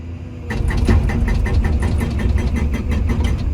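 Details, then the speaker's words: Komatsu PC240-11 excavator hydraulic hammer tested on a rock face, arm curled to preload it, after the owner wondered whether a slow hammer meant a low nitrogen charge: crisp, even blows about six a second over steady engine drone, no misses or rattles; hammer judged good. "running pretty good to me that's what it sounds like that's doing pretty dang good so I'm going to go ahead and call the hammer part of it good"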